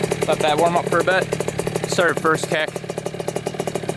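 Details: 2000 Kawasaki KX65 two-stroke after a full motor rebuild, first ride after warm-up: crisp buzz climbing and dropping through quick clean revs, picks up readily with no misfire or knock; sounds healthy.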